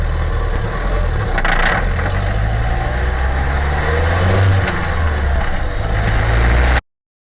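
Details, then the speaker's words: Small-displacement flex-fuel engine (e.g. 1.0) running on gasoline only, pulling under load at takeoff, uphill or cornering: light metallic rattle over the low drone; detonation knock ('grilo') attributed to compression ratio above 10 with gasoline. "Então esse é o barulho do grilo do motor. Geralmente ele dá quando você dá aquela forçada aí de primeira assim, logo de saída na arrancada ou numa subida ou ao fazer uma curva."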